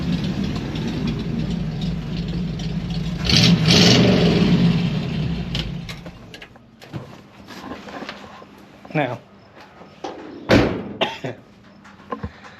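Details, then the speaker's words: Small block Chevy V8, just started after setting basic ignition timing (it previously wouldn't start): one quick throttle blip, then a steady, even idle with no misses; sounds good. "See what happens. And that's what I was hoping to hear. It's good."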